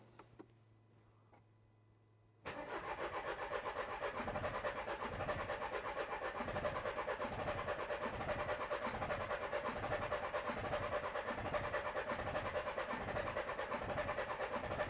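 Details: 2013 Renault Scenic III 1.5 dCi (K9K636) after fitting four new injectors for a cylinder misfire, mass airflow sensor reading suspicious: steady starter churn about fourteen seconds, never firing; cranks but won't start, cause unconfirmed.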